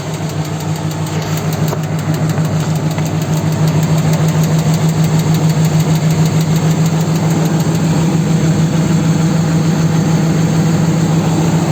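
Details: 4.7 engine idling steadily with a sharp, even knock about three times a second over the engine note; an internal knock, source not pinned down.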